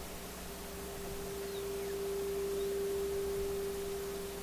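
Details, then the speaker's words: Viking console stereo tube radio during AM alignment, meter on the 12BE6 mixer grid, volume up: clean, steady mid-pitched test tone through the speaker, loudest exactly at 455 kHz; IF stage well aligned. "You should be able to hear that it's actually loudest right there. Okay, and you see it's right on 455, so that's a really good indication already that this radio is well aligned."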